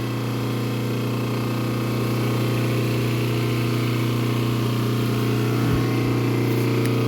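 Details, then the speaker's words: Transformer for a Fortus 400mc 3D printer, just after the breaker is switched on: steady low electrical hum with an even buzz and no rattle or crackle. Normal transformer hum. "okay so let me put my ear on it here and see if I can hear it yep okay so the Transformer is humming and that's okay that's good"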